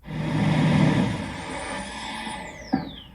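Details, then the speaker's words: After a warmed-up 2008–2022 second-generation Toyota Sequoia is shut off, a high electric whine runs briefly then spins down: the secondary air injection pump working normally, not a fault. "some people think that is a problem that's actually normal for these and you want to hear that's the happy sound that's the sound that the secondary injection is working as it should"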